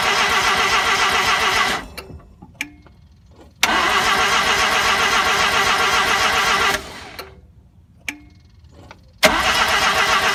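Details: RX-7 start attempt after setting base timing: three even cranking bursts under two seconds each, no catch. Crank no start; it started the next day and the owner is unsure what changed.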